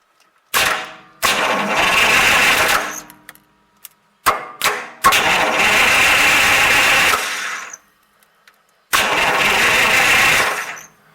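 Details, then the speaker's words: 1938 Buick Special straight-eight no-crank, starter bridged directly at the solenoid from the battery: three strong bursts of free-spinning cranking; switch, battery and starter are good, so wiring is suspected, with the negative battery cable checked next. "I mean, don't get me wrong, that's good. Our switch is good. Our battery is good. Our starter is good."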